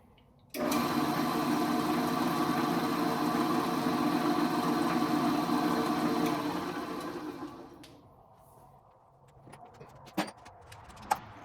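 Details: Old Rockwell Delta drill press with a Forstner bit fitted, after repair to fix severe spindle runout: an even, steady whir at constant speed with no wobble or knocking, then the spindle coasts smoothly to a stop. Runout is much improved.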